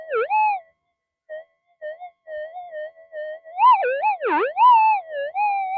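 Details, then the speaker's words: Minelab metal detector with a very large coil in normal mode near power lines and main feeders: tone wobbles and swoops erratically in pitch with dropouts, electrical interference, much reduced by switching to figure-eight mode. "you can see all that electrical interference we had before we get rid of a lot of it by going into the figure eight"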